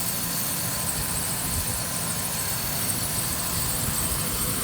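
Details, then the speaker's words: 2008 Ford Ranger 2WD, 5-speed manual, 3.0 L V6, 147,000 miles, no codes or check engine light. An even, quiet idle with a smooth hiss and no knocking or ticks: a healthy engine. "how quiet it is, no knocking whatsoever. This is a 3.0 liter V6 engine."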